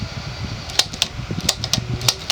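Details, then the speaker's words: Diehl 52-inch antique ceiling fan from the late 1920s or early 1930s, oil bath with a worn motor shaft, on high speed: a low steady buzz under the airflow with scattered clicks; speed-coil transformer hum. "course you still hear the hum of the transformer or rather buzz now it's essentially high-speed for any normal fan"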